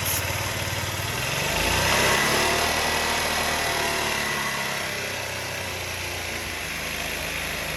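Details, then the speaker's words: Honda Elite 80 scooter on the bench after carb cleaning. Small single revs, hangs, then settles to a fast, slightly uneven idle. Owner suspects lean running from extra air, possibly the petcock vacuum hose or intake manifold. "i think when i rev it up it's running lean because the problem is because it's sucking in air"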